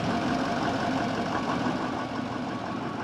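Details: Broken-down bus after starter solenoid was jumped and it finally cranked: steady, even idle rumble with light regular clatter, no misses or stumbles; engine idling normally despite suspected failing starter.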